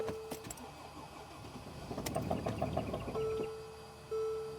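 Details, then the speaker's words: 2014 Mercedes GL350 3.0 L diesel with a crank-no-start complaint (sometimes runs 2–3 minutes, then dies). The starter turns it over in uneven bursts without catching, with no response to the accelerator. Rail pressure is about 5,269 psi key-on and only rises to about 6,000 psi while cranking. "So, I'm trying to rev the engine. The engine is not even revving. So, when you step on the accelerator pedal, nothing is happening."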